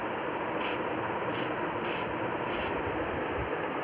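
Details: Rocking chair with dry, rusty hinges: sharp high squeak about every 0.6 seconds in time with the rocking, before rust remover spray is applied. Squeaking hinge needing lubrication.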